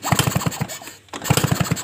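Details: Suzuki RC two-stroke motorcycle hard to start, especially mornings; repeated kicks give dull thumps, engine turns over but never catches; spark at plug present but weak, blamed on the ignition coil; no start.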